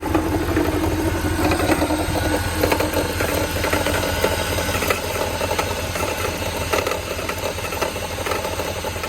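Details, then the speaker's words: Mercedes CLS63 with the M156 V8 at idle: uneven heavy knock with some rattle, like rod knock. A water pump replacement did not fix it; the alternator is now suspected, not confirmed. "So this a quick update on this. My buddy CLS63, and we got this like rod knocking type of noise."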